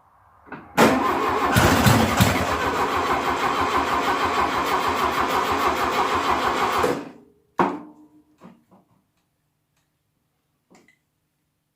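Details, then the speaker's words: 1972 VW Beetle 1200 engine, laid up for decades, sitting on a tire, with fuel poured in and a sticking carburetor: cranks, catches, runs roughly about six seconds, then dies; it is not drawing fuel from the carburetor. "it's not drawing fuel see what fire on that little bit it does it shows that it's obviously the fire but it's not drawing fuel from the carburetor itself"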